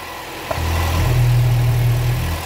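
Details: Chevrolet Cruze that misfired and smoked with heavy vacuum, after replacing faulty valve diaphragm: deep steady idle settling quickly, no hiss or rough pulsing, oil cap now removable; normal idle.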